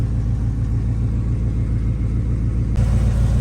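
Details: Pontiac Bonneville with Pontiac 350 V8, all original, one owner, 61,000 miles: deep steady V8 rumble at idle with even pulse and no knocks or ticks; normal smooth idle.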